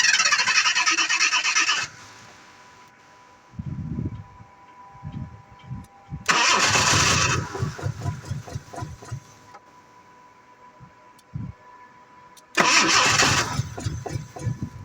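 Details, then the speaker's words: 1986 Jaguar XJ6 that sat unstarted for two years: three bursts of cranking, each followed by a few weak thumps, then quiet. The engine fires briefly and dies, a hard start that won't keep running. "you see the fire has died the fire has gone off so let's start again"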